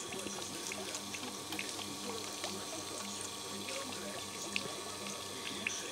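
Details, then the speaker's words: Chinese reverse osmosis unit, about 7–8 years old, with CB5 controller, after controller replacement and pump repair; booster pump gives a low, even hum under running-water hiss at 1.5–2 atm, no knocking or grinding, normal pump operation. "Все отрабатывает корректно, глюков нету. Давление у нас здесь 2 атмосферы, 1,5-2. Насос работает без проблем."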